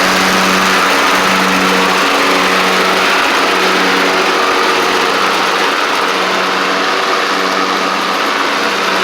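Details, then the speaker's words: Troy-Bilt Pony riding mower with a swapped-in Briggs & Stratton 12.5hp flathead, no muffler guard, driven up and down after the swap: single-cylinder holds a steady, even buzz under way, no misses or knocks; runs and drives as it should. "I'll Crank It Up and just drive up and down a little bit for y'all just to show you that it's running and driving like like it's supposed to"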